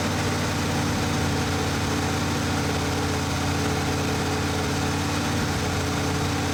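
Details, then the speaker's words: 1980 Ford F-350 460 big-block V8 with dual exhaust, after break-in at 1300–3000 RPM: deep, steady idle with no knocks; a carburettor gasket leak or exhaust leak was suspected afterward. "However, after breaking it in, we ran into a little problem, which we're going to discover here in a little bit. But do enjoy the engine sounds for the moment."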